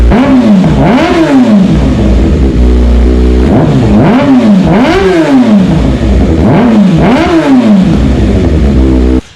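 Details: Kawasaki ZX6R with decatted stock header and slip-on installed: repeated quick blips rising and falling sharply, crisp and loud with a clean return to idle; freer exhaust breathes well.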